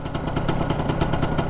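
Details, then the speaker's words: Arctic Cat 250 4x4 with stock pipe and baffle, carb not yet cleaned: fast burbling idle with low popping rhythm, slightly uneven and smoky; owner thinks it may be running a tad rich. "Pretty smoky out here."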